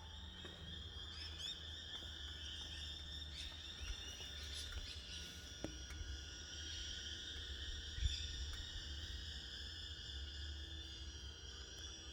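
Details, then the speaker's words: 2013 Triumph Tiger 1200, engine off, key on: a faint, steady high-pitched electronic whine, seemingly from the left side, which stops once the bike starts. Other Tigers were checked and this is normal. "Um, so I'm getting this kind of a noise when the key is turned to on, and it comes from somewhere around here."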